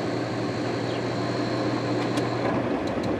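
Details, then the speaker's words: 2002 GE AJCS10ACAM1 9,900 BTU 115 V air conditioner overheated in a garage because it can't exhaust its hot air (steaming at the back): on restart after brief cooling, a strained hum, then it cuts out with clicks. "Ooh. No, it didn't like that kind. All right, well, I'll let it cool a little more."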